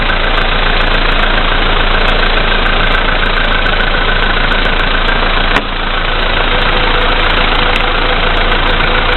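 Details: VW Polo Sedan, CFNA engine, 2222 km, cold start at -5°C after overnight; oil three marks below max, Lukoil 98 fuel. Steady knock, about four per second, at cold idle; it firms up when lights and heated glass add load. Source unknown.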